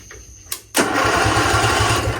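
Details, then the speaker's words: Lawn mower starter tested by bridging the solenoid's battery and starter terminals with a screwdriver, feeding battery directly to the starter motor: a couple of sharp clicks, then even, steady cranking chug; starter and its cable work. "It goes battery, you're connecting that battery directly to the starter, the wire that goes to the starter motor, which we did earlier, which I'll do it again, right?"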